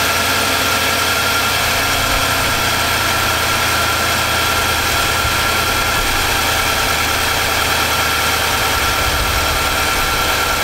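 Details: 2018 Nissan Armada V8 with new short block, about 3,000 miles on it after engine knock: steady smooth idle, even hum and belt whir, no knocking.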